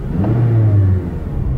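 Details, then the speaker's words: After replacing the VTC actuator for a cold-start rattle and P1009, warm and driven about 30 minutes: deep even engine note rising cleanly under acceleration with no misfires or stumbles, and no check engine light. "so not only is she running great but she's driving great as well been driving around for about 30 minutes there's no more misfires she's accelerating nice and smooth and the check engine light hasn't come back on"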